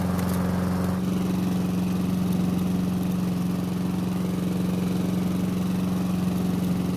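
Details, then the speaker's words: Honda mower with a broken choke, started by priming with fuel: the small single-cylinder engine keeps running at a steady, even speed with a constant drone and no stumbling. Normal running. "so the good news is that after priming the engine it not only started but it kept running"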